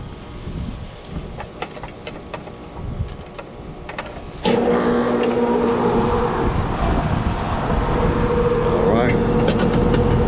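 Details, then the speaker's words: Carrier AC condenser after a new capacitor was fitted and the contactor rewired: quiet ticking, then the compressor kicks on at once into a steady, even hum. It starts and runs normally, now blowing cold. "I do hear the compressor. definitely blowing cold right now."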